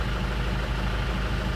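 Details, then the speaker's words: After repair of a 2001 Isuzu Panther LS diesel: pistons and piston rings replaced, original liners reconditioned. Before the repair it had blow-by (ngobos) and a rough piston noise. Now a steady, even low idle with no knocks or missing beats; the engine sounds healthy. "Nah teman-teman ini adalah hasil perbaikan dari Panther LS tahun 2001 ini"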